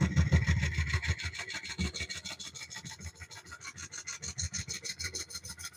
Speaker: I'm actually getting some, because of the way this grain's turning, I'm actually getting some rough spots right here. So that's either harder wood or softer wood. I'm not sure which yet. But it's not turning smoothly. You hear it? You can hear that. It sounds rough.